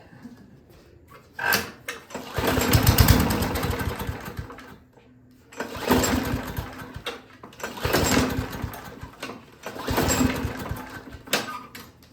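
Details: Free Craftsman lawnmower with auto choke, grass-caked deck and dirty air filter: four pull-cord bursts of fast chuffing that die and never catch; cranks but won't start, later ran on starting fluid.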